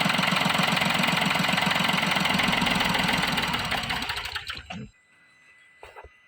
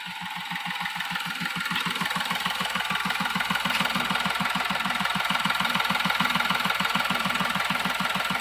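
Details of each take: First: Diesel with an intermittent start and stall problem (codes P0087, P0251): steady clatter that fades and dies after four seconds while the reading drops from about 412 to 385; the root cause is a clogged fuel filter. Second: Diesel vehicle that had been stalling within 5–10 seconds of starting, with codes P0087/P0251: a steady, even clatter at about 200 beats a minute that holds without faltering. Normal idle after the repair.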